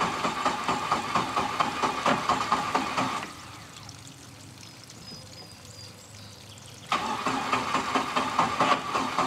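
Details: 1986 Four Winns 170 Horizon with a carbureted 3.0L MerCruiser, at its first start after winterization, following some cranking to fill the carb: a steady, even idle pulse of about two beats a second with no knocks or misses; running healthy.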